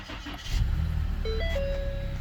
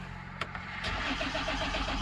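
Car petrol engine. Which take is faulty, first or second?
second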